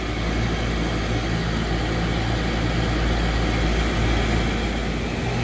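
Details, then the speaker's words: Raypak pool heat pump showing HP high-pressure error code, compressor not yet running: loud steady low drone from the outdoor fan with a loose throb about four times a second, fan motor wobbling badly; bent or damaged fan blade suspected. "to look at the motor shaking around in there wobbling like crazy chances are fan motor blade is bent or damaged probably"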